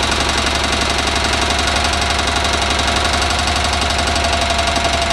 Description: Onan CCK engine making a knocking or tapping sound